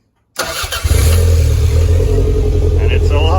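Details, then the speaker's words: Toyota MR2, cold start after new fuel pump and coil: catches, then lumpy uneven beat with a stumble; one cylinder missing, leads still pending. "so it sounds like it's missing on a hole we might just let it warm up a little bit and see how it goes"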